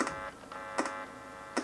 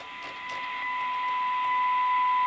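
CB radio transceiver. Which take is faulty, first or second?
first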